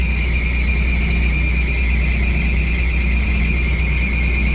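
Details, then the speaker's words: Worn Cook fresh-air intake/exhaust fan running 24/7: loud continuous high-pitched squeal over a heavy low rumble, likely from a slipping belt. Fix suggested is a new belt or belt dressing and checking motor bearing lubrication; the unit is judged not worth rebuilding. "probably need to change the belt really really sounds bad but anyways it's working I would probably change that with a new belt maybe put some uh belt dressing on it to make it sound a little better"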